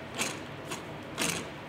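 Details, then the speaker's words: Ford Mondeo Mk5 2.0 diesel six-speed manual gearbox from a taxi with almost 300k miles, removed for a rumbling noise; the number one bearing in the three-bolt plate tips and gives gritty, crunchy rasps when turned by hand: worn gearbox bearing. "listen to that I know that Plate's not healthy but when I feel it when I turn the bearing in my hand it feels rough as hell so there we go that is our problem"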